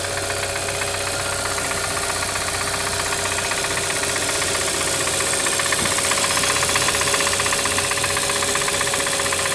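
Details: Brand new 2013 Hyundai Santa Fe at steady idle: sharp, even tick-knock about four per second over the engine hum; wrist pin or piston defect suspected, not confirmed.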